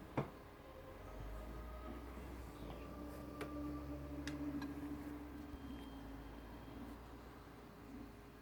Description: I just purchased this PS4 yesterday, it was the BO3 bundle 500gb console and it has been making a faint static/buzzing noise and gets louder when I load up BO3.